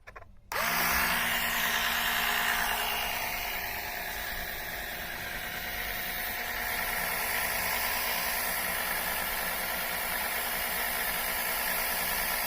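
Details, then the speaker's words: Electric engine oil extractor pump, first use, sucking oil from oil pan: kicks on into steady even buzzing hum with slight pitch drop as suction collapses tube; working normally. "There it goes. Boy, this is going fast. There's so much suction, it's sucking this tube in flat."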